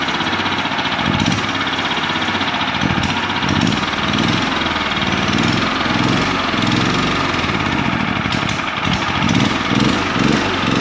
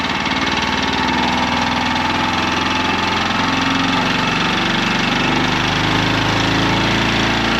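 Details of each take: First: Champion 100812 generator (2019, 6,250 starting watts), used once then sat about four years and wouldn't start, during revival: small engine chugs slow and uneven with lumpy pulses; idle speed sitting too low. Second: Champion 100812 generator (2019), revived after sitting about four years, powering shop lights: steady, even engine drone with no hunting or surging, running smooth at constant speed. Normal running.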